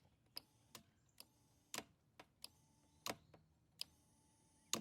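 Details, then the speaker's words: 2013 Honda Rancher 420 ATV with a start button that does nothing: flipping the kill switch gives dry clicks as something (possibly the fuel pump) kicks on and the relay/solenoid picks up; switch is good. "and you can hear a click so go both sides of that switch and if you can hear I think it I don't know if it's a fuel pump something kicks on over here and then you can hear a relay uh solenoid picking up back here so you know that switch is good"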